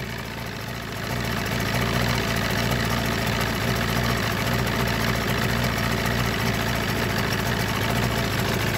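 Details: Force 120 (Mercury) 1999 two-stroke outboard off a Bayliner, warmed up, silencers removed: steady, even idle with no rattles or hunting; a sound, healthy motor.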